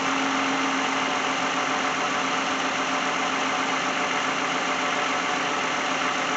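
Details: 2010 Lexus in for no-start, customer wants alternator replaced; alternator charging 13.8–13.9 V before battery test: steady even idle with constant hum, no knocks, misses or squeals; engine running normally.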